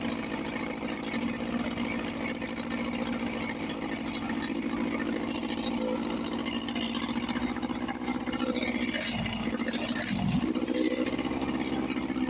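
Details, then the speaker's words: 1954 Johnson 5.5 HP outboard restarted on a heavy oil mix and smoking, after carburetor rebuild; head not too hot, water pumping unsure. Fast, steady two-stroke buzz on an even note, no misses or knocks. Normal running. "And uh, another old motor comes back to life. Let me start it up again. I had do have a heavy oil mix."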